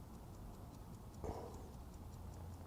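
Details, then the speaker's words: Vintage Howard Miller ship's bells clock after repair: quick, even, strong ticks at a steady beat; previously weak, slowing and stopping. Movement now running strongly. "I think I got it I really think I got it this time it sounds really strong"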